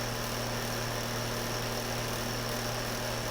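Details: Cheap two-speed window fan on high setting, about four months old; steady loud low buzz with thin high whine on top, no rhythm or speed change; fan buzzes badly on high, cause unclear.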